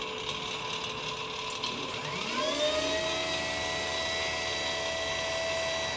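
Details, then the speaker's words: Electric go-kart QS hub motor with Fardriver controller on Headway cells, running after throttle troubleshooting during controller learning; the whine climbs smoothly and holds a clean steady tone, so the motor ran correctly. "there we go that looks like that ran correctly here"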